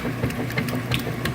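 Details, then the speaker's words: Kenmore/Whirlpool washer after replacing the worn agitator cogs with a long cam kit (3363662) to fix a no-agitate fault. Regular back-and-forth churning with light clatter, no grinding or slipping; the agitator works normally again. "okay we have a functioning agitator again this is how it's supposed to work"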